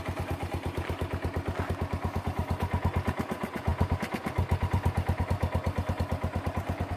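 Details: Kawasaki Bayou ATV after its rotten muffler was replaced with a used one from a Kawasaki 300: even, regular thumping at about two beats a second, low and steady with no rattle or exhaust leak. Normal running.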